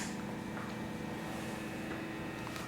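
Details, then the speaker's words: Universal Audio OX Box with hollow-body guitar, after fitting a shorter speaker cable: low steady amp hum and normal amp feedback with the OCD and then DNM drive plus boost engaged, and no high-pitched hiss or squeal anymore. "Now, obviously, I'm getting the nice rich amp feedback, which is, you know, typical of any loud amplifier and a hollow body guitar at that, but it's not that high-pitched like hissing squeal that you heard earlier in the vide"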